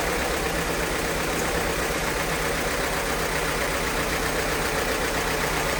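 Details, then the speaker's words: 1952 Case DC tractor, cold start at about 42°F after about six months sitting: steady, even firing at warm-up idle with no knocks, misses or stumbles; runs smoothly, normal idle. "As you probably remember from the video series we did on it, this thing runs pretty darn well."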